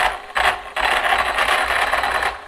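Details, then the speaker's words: Stock Arrma Kraton 4S RC truck with stock motor and stock ESC. The high motor whine cuts out twice, then surges unevenly while the throttle is held in the same spot. Owner unsure whether motor or ESC; later confirmed as a faulty ESC. "you can see it's still got kind of got this weird stutter [Applause] i'm keeping the throttle in the same spot but it's doing doing that"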